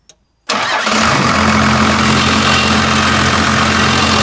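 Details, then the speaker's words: First-gen diesel test fired after adjusting the injection pump fuel screw: fires straight up and holds a fast, steady clatter, sounds much better but idle set too high. "So as you could hear there, sounds a million times better, but it's a little on the high side."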